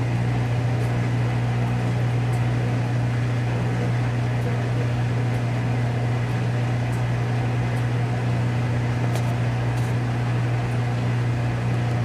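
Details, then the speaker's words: Whirlpool Duet Sport front-load washer after toaster-oven solder reflow of control board fixing F-1 relay error in final spin: steady low motor hum as drum turns slowly and evenly balancing the load, no knocking or scraping; normal. "Yeah, I think it's going to balance now and it's actually going to spin it. See how it's, the drum is moving, so it's spinning it and measuring for balance, and once it's balanced then it's going to start spinning with speed."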